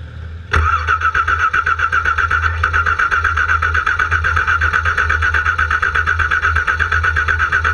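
The starter churns at a steady four beats a second for several seconds and the engine never catches; it cranks but won't start.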